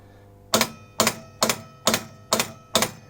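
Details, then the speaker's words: Elvis pinball machine, blue suede shoes shot: in coil test the control gate coil under Heartbreak Hotel fires with sharp clacks about twice a second, spring moves but the gate isn't lifting; mechanism under the playfield suspected. "something happening I don't think I see the gaint going up I see the spring moving"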